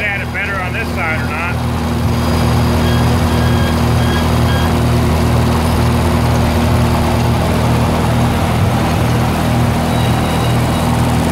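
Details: 1948 Lincoln SA-200 welder engine, long unused, revived with little work, with a short stack with resonator and kill switch: starts, then a steady even low hum with a smooth firing beat and no knocks or misses. Normal start and idle.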